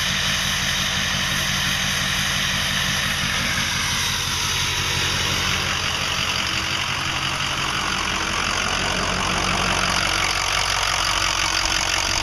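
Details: 2005 Ford 6.0L Powerstroke diesel idling loud with an uneven choppy knock about four beats a second, like misfiring cylinders, worsening since new reman injectors, fuel pump, filters and oil change 80-100 miles ago; owner suspects harness, FICM or injector(s), unconfirmed.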